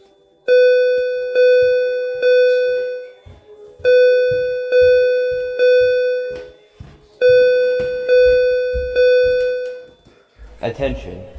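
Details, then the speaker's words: Simplex fire alarm system test after the switch is flipped: a temporal-three evacuation signal of three tone bursts per group, groups repeating every few seconds at a clean, steady pitch; the alarms are working correctly. "And here we're going to flip that switch and hear the alarms go off to see if it's good."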